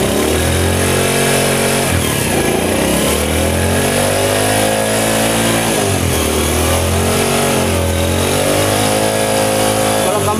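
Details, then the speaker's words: Honda CD70 after engine noise repair, started and idling: smooth steady idle with only a faint whine left; gear noise about 90% gone, sounds healthy. "Bike को start करके आपको colour की आवाज check करवा देते हैं start करें sound बिल्कुल ठीक है"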